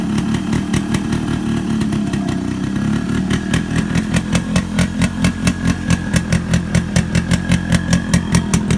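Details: Yamaha RX100 two-stroke motorcycle, cold morning start after heavy rain and hard kicking, spark plug troubled with no spare: crisp popping picks up into an even, quickening beat as throttle opens; engine fires cleanly and runs steadily, normal running.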